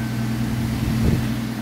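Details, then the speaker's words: Truck with a manual choke, started cold after sitting 14 days, suspected transmission problem: steady low hum at a slightly raised idle with no knocks or misses while warming up; normal fast idle. "trucks running good guys right now it's um warming up a little high idle right now"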